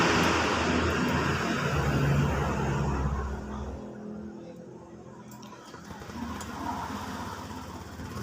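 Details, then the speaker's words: Honda Vario 125 FI scooter after rebuild with new piston: revs up evenly then drops to quieter steady run, no knocks or rattles, no smoke; smooth and healthy. "the best sekarang untuk karena sudah ringan untuk kondisi suara sudah halus ya karena ini Krisna sudah baru sama kampret sudah baru dan juga sudah tidak berasap"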